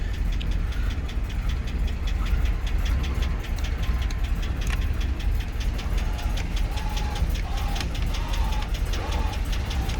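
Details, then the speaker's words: 2006 GMC Sierra 2500HD, junkyard-bound, crank sensor code so barely running: rough idle with a sharp, regular knock tapping steadily over the low rumble; engine knock at idle, owner hopes a new crank sensor helps running. "got a code for a crank sensor so she barely runs now you can hear the knock"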